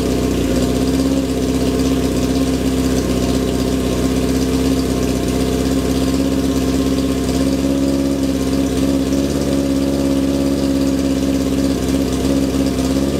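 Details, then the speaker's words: 1978 Kawasaki KZ650 C motorcycle warming up on first start after at least five years unused: even, steady idle with deep, loud exhaust drone, no knocks or misses; healthy but one noisy motorcycle. "i'll drop this off while i get some warmth in the engine well that's a bit of a result um if i could criticize it this is one noisy motorcycle"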